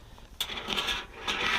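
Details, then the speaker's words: Whirlpool Duet Sport washer with seized drum and broken belt, drum turned slowly by hand via pulley: irregular metallic scraping and clinking bursts; foreign object caught between inner and outer drum. "now you can hear there's definitely something caught in this drum and i can't quite make out where it is or what it is"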